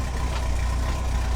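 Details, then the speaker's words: Van cold start at about 25 degrees, heard from the back: low, steady, even rumble with no misses, knocks or rattles; the engine idles smoothly and runs well right after the cold start. "I figured I'd give the van a cold start. See how she fired up. You can hear it just purring away back here. It's about 25 degrees, so"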